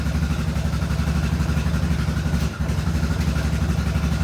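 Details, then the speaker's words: Yamaha Grizzly 660 ATV after an oil change: a steady single-cylinder thump at about three beats a second with no hunting or sputter, a smooth, healthy idle. It used to sputter when the carburetor held bad fuel. "look at that thing that's a smooth runner on machine right there"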